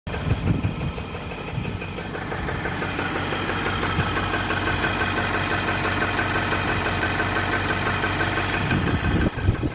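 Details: 2018 Nissan, 30k miles, idling in drive held by the handbrake: light, fairly regular knock about three times a second.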